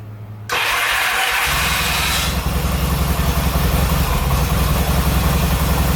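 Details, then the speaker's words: 1970s Yamaha XS650 twin that sat 10 years: steady even rumble with light revving, no odd knocks; battery 12.87 V rising to 14 V when revved, charging circuit working; grounds may need cleaning; normal revving. "12.87 14 but when you rev it it works so that's not too bad charging circuit's working"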